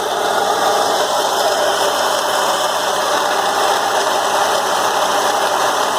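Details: BMW E36 M3 idling after a 2-hour drive: loud, steady gritty whirring; confirmed as a failed AC compressor plus a pulley, likely damaged by play in the compressor.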